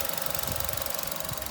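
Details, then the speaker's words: 2015 Chevy Trax 1.4 Ecotec turbo, about 89,000 miles, after new coil pack and tightened spark plugs: steady, even idle with fast light tick over the hum, no chirp or stumble; random misfire cleared, runs normally. "my new coil cleared the random misfire and they're running perfectly again"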